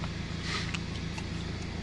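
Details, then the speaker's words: BMW F30 after fixing a no-crank, no-start fault by replacing a bad ground cable and cleaning its contact points: starts on the final test, then even diesel clatter ticking over steadily at idle with no stumbling or misfire; normal idle. "Okay 👍 We can try another one time. All good. Fixed 👍"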